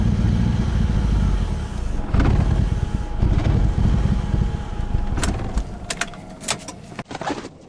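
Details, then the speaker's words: Engine after new fuel injectors were fitted: a lumpy, uneven idle with irregular low pulses and a stumbling beat; rough idle caused by a vacuum leak from an injector seal knocked sideways during installation. "one of the injector seals tweaked itself sideways when I was squeezing the new injectors back in there I totally did this to myself"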